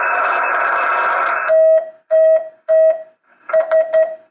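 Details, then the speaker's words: 40 meter QRP CW Pixie transceiver kit, heard through headphone jack while keying: steady hiss then clean evenly pitched keyed tone bursts with uneven gaps; transmits, but odd constant tone of unknown cause. "But we are hearing very odd noises through the headphone jack."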